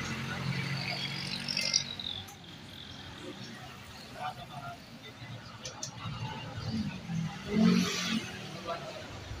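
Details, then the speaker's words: Yamaha Mio Gear scooter, odometer about 4000, after troubleshooting stalling and failed push start: low, steady idle hum holds without stalling or stumbling under outdoor background noise; no longer dies, running normally. "Ayan po wala naging problema h na siya namatay Okay na siya"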